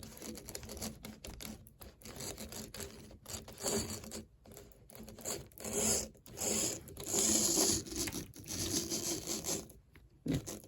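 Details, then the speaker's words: Cheap secondhand HO scale model locomotive from a train show on test power: scratchy, stuttering little motor buzz cutting in and out; it tries to move but runs poorly, left as a future project. "It doesn't seem to run very well. I'll try the other way."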